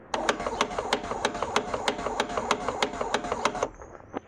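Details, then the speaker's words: Fiat power window regulator, door panel removed, customer reported door noise: sharp regular clicks about three per second while the motor runs, gear jumping and not centred because someone had tampered before; worn coupling rubbers let the gear skip. "ó vocês viram aí ele fica pulando Então seja ele não pode estar bem Centralizado né bem encostando lá engrenagem lá atrás porque alguém já mexeu"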